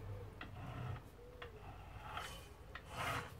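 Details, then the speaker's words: Scrambler motorcycle engine bought for parts, spark plugs fitted, turned over by hand: slow, uneven airy puffs about once a second as it releases pressure; turns freely and holds some compression, how much is uncertain. "you can hear it releasing air pressure so i don't know how good the pressure is but it is sucking in air pushing out there at least to a certain extent"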